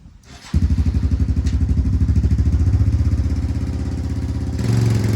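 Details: 1997 Yamaha Timberwolf 250 ATV after the unmarked main jet was swapped for a 95: single-cylinder thumping at an uneven rhythm with sharp cracks, still popping and backfiring. The owner suspects a bad carb or the wrong jets; cause unknown.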